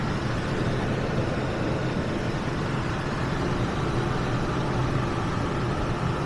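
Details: Ford F-150 idling after fuel pump replacement, checking for leaks at the fuel line connection: steady even idle with smooth low drone, no misses, knocks or hiss; running normally.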